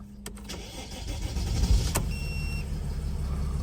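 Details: Mercedes Sprinter V6 camper, manual gearbox, 222,785 miles, after fitting new gear stick, cables and linkage: quick crank, catches and settles into a steady even low idle with no knocks or misses. Starts cleanly.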